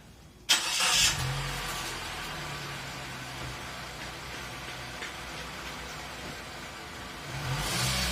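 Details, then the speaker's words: Suzuki APV clutch: engine catches and idles with a harsh, gritty rasp; pressing the clutch pedal gives rough, noisy sounds inside the clutch components, pointing to a worn clutch release bearing; teardown planned starting with propeller shaft, then transmission. "kita perhatikan bahwa ada suatu mobil yang trouble, yang bermasalah, yaitu ketika diinjak kopling maka dia bunyi kasar atau tidak maksimal, ada suara-suara berisik di dalam komponen kopling."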